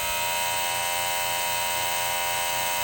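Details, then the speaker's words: Steady, loud high-pitched buzz from the small plug-in water pump of a low-budget van camper shower, running constantly with no on/off switch; owner suspects the old, poorly cared-for motor is burning out. "So I know this old freaking water pump was super loud. Probably because I wasn't really taking very good care of my things over the years, so I'm sure this motor is probably getting burnt out, but again, that's my fault."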